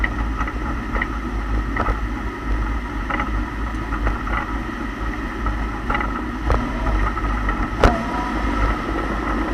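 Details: 2008 Lexus IS F on the road: sharp, irregular clunks over road rumble from the rear differential, caused by completely worn rear differential and pinion bushings; replacement bushings ordered as the fix.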